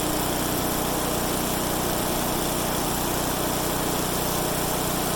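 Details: Craftsman/Troy-Bilt/MTD wood chipper running after blade replacement with new blades: loud, steady small-engine roar holding even speed with no misses or knocking; very loud but running normally.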